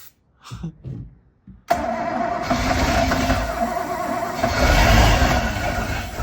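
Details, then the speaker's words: Boat engine with a JB Welded cracked block and cooling jacket, first start-up after reinstalling with an unprimed fuel system and ether on hand: after a quiet spell it bursts into rough, loud churning with uneven pops and never settles into idle. It is backfiring without starting, and the wiring later burned. "that your fuel no I don't think so is it just backfire let's see if we crank it"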